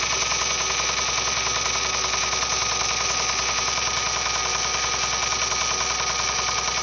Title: What is the knocking noise? The timing belt tensioner is tight and has not failed. 07 Accord 257K mi